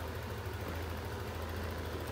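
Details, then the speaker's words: Yamaha NMAX scooter after fixing a constantly lit indicator and a high idle caused by dirt on the ISC and a throttle setting that was too high: a soft, even, steady idle with no hunting. Idle is now normal. "saya coba lagi nah sudah sembuhm-nya sudah normal ini untuk motor nmax"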